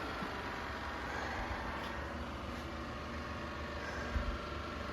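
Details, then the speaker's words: Used 5.7 Hemi junkyard engine installed in a Dodge Ram 1500, first start after reassembly and fluids: quiet, even V8 idle rumble with no tapping, ticking, knocking or smoke; engine sounds healthy. "she sounds pretty healthy so even you go on there and turn the key all it sounds good no tapping no ticking no smok it"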